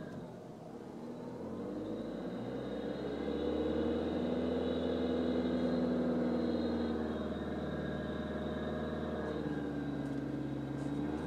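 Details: 2012 VW Jetta TDI diesel above 1,000 rpm: low drone with faint hiss and light rattle rising with revs; dealer found no cause and called it normal, owner disputes.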